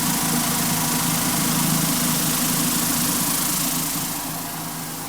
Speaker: that's how loud it should be very quiet actually um but most of the noise is right up here at the top